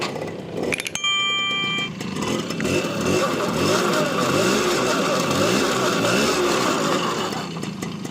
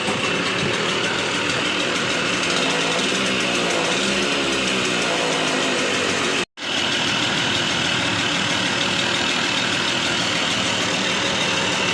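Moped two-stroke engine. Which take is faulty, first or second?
second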